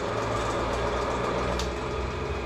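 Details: Australian-made concrete grinder on test after repair, plates screwed back on and vibration checked: smooth, even motor hum with a steady low drone, no wobble, thumping or grinding; grinder running well.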